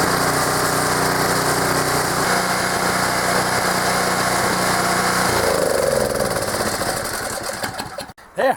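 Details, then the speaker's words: Small single-cylinder engine, started on choke after sitting unused all summer, runs steady and even for about five seconds, then winds down and stops; no uneven running or knocking, runs like a top. "don't see any issues with that things run like a top"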